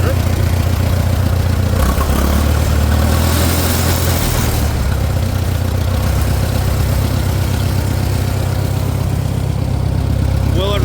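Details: Farmall 400 tractor that runs only on choke (owner suspects air leak), cold, on choke after spark checks on cylinders 2 and 3: low loping idle with occasional stumble, slight misfire; cause unconfirmed.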